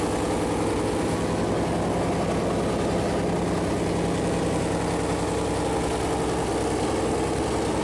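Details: Freshly built Chevy Performance 454 big-block V8 on a run-in stand at first fire-up: low, lumpy burble holding a steady idle with no ticking, knocking or misfire. Normal idle; the plastic oil-gauge line later contacted the headers and leaked oil.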